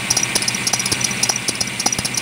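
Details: Idling engine with a fast, rhythmic high-pitched belt chirp that grew louder over a month and faded once warm; the crank pulley wobbles because the harmonic balancer has broken, and a new balancer cured the noise and wobble.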